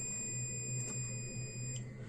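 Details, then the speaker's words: Multimeter set to continuity range with its two probes touched together, before testing an LED bulb's MCPCB: a steady, unbroken high-pitched beep, the normal continuity response. "मैं इस दो pin को सटाता हूं तो देखिए beep की आवाज आपको सुनाई पड़ेगी।"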